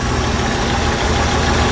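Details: Jeep CJ 258 4.2L inline-six with replacement carburetor, started after sitting about a month with hard starting (owner suspects fuel draining back to the tank); steady, even low rumble, idling smooth on choke with no misses or knocks; normal.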